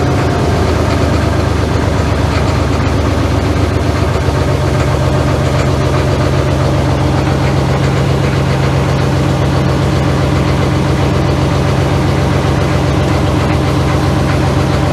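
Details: Cat 14 motor grader on its first start in about four years, after preheat: a loud, steady diesel idle with even clatter and a constant beat throughout, no misses or hunting. Normal diesel idle.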